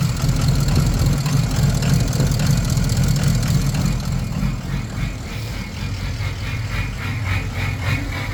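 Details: Ford 6.0 Powerstroke diesel with rough idle and smoke: deep rumble with uneven lumpy beat around three pulses a second, wavering in strength; cause unknown.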